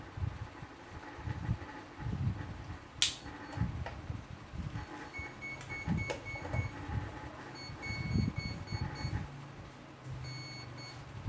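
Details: RC boat, 100x27cm, with twin GoolRC 4074 60,000rpm brushless motors, a 150A Flycolor ESC and 4mm flex shafts: short high beeps in spaced groups over handling knocks, then stop; normal ESC arming.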